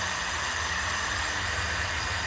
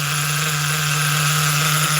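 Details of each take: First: Force .25 CNC nitro engine during first start and break-in, after pre-heating to about 180–200: small engine buzzing steadily at high pitch with a light crackle, running evenly through its first heat cycle. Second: Force .25 CNC nitro engine in an HPI car, on only its second heat cycle of break-in: a steady buzzing drone that never climbs higher, idle slightly high; it runs too rich up top to reach full RPM.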